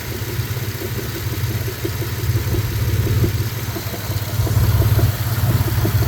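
Steady idle with a regular light knock, roughly three per second, riding over the exhaust note; a knock whose source is still unknown.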